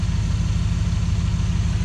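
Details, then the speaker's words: Copart salvage truck with a leaking radiator, just started: deep even idle with a steady pulse and no knocks or misses; normal idle, fan not spinning yet. "fired right up no fan ain't spinning well maybe ain't supposed to be yet"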